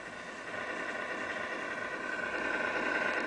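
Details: MFU: steady high-pitched whine over a constant hiss, rising a little toward the end, with everything plugged in correctly per owner; abnormal noise of unknown cause.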